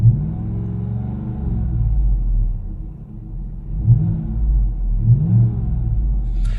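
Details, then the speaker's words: 2015-2020 Cadillac Escalade V8 after installing an MBRP 3-inch exhaust in place of the rusty heat-damaged original: deep throaty rumble with several throttle blips, earlier whistle gone; louder than owner wanted. Normal exhaust note, no whistle. "I'm honest with you, it's a little bit louder than I would have wanted my Escalade to be, right? But it's better than it sounded before."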